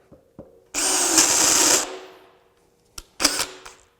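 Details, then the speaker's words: DeWalt Atomic DCD794 20V brushless drill with a 5/8" spade bit and 1.7 Ah battery whirs without catching on speed 2, then kicks in; gear slipping in second speed, suspected spring pressure or gear machining. "This particular drill seems to have trouble when I move into level 2. Hear that? And then it kicks in and it's good."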